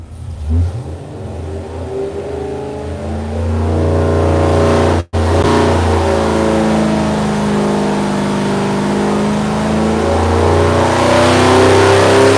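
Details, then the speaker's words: Customer-built V8 (first build, for a Roadrunner) on test, pulled from 3,000 to 5,800 RPM at full throttle with green readings across the board: smooth, clean even climb, no ticks, knocks or rattles; no leaks, normal healthy run. "There we go, all the way to 5,800 RPM. Woo! Yeah."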